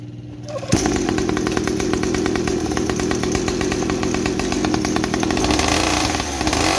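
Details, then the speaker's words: 50cc two-stroke mini trail bike after silencer modified with more holes and glass wool packing, exhaust noise cut about 50%: starts and settles into a steady buzzy idle with softened exhaust; normal running. "Nah itu tadi ya hasilnya setelah kita perbanyakin lubang di silencernya, sehingga suara dari knalpot itu menyebar ya, masuk ke glass wool sehingga teredam ya sekitar 50% lah."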